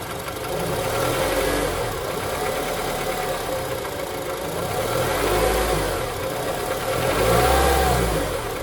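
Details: K24 four-cylinder idling and blipped, with a dull, steady knock that swells as revs climb; engine knocking, cause undetermined.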